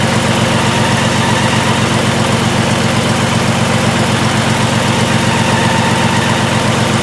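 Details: 2002 VW Jetta VR6 with codes P0262/P0206 (injector circuit faults), after new plugs and wires: a loud idle with a regular lumpy stumble about twice a second. A test-light drop test shows no RPM drop on cylinders 1 and 6, a single-cylinder misfire.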